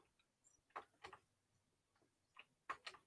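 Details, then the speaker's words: Losi SBR 2.0 RC truck being fitted with bigger shocks, suspension worked by hand: light sharp clicks in close pairs; the other shock was disconnected. "oh my other shock is disconnected"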